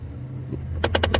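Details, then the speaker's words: Nissan Frontier, engine running: recirculation door actuator drives the plastic ventilation door past its fully open stop, rapid sharp clacking about seven per half second over low engine hum; fix is a zip-tie stop limiting door travel. "you can see that guy just kind of beating itself up."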